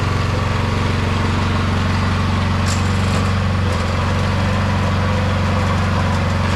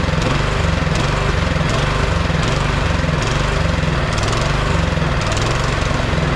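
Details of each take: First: 22-inch MTD Yard Machine snowblower, owner thinks 5 hp 179 cc, after the carburetor main jet was drilled out to cure surging: the single-cylinder holds a steady, even drone with no hunting or surging; governor settled, runs smooth. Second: Neglected 22-inch MTD Yard Machine snowblower, single-cylinder engine on part choke, hunting up and down about every three-quarters second; dies with choke off, dirty carburetor and gas can to be cleaned, before repair.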